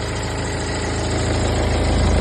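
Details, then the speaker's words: Hyundai Tucson 2016–2021 CRDi diesel at idle: a constant high whistle from the engine bay that persisted after the bearing, tensioner and belt were replaced; a failing alternator was the cause. "maingay po yung engine niya banda an po yung tunog niya maypalit na kami ng bearing tensioner belt an"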